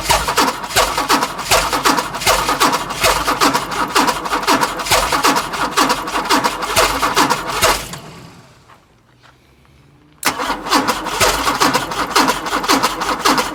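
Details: Chrysler Valiant Hemi 265 six with rebuilt starter, fuel pump fitted, ignition bypassed with owner's own starter switch; starter churns the engine in steady rhythmic pulses, pauses, cranks again, never fires: cranks, no start.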